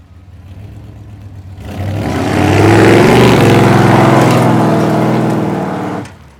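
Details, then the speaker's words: 1989 Dodge D200 V8 on a road test after cam bearing work and an oil pressure fix, timing 35° total at 2800 rpm: smooth, even acceleration with no misses or knocks; transmission shifting good, oil pressure good. "transmission shifting good oil pressure is good"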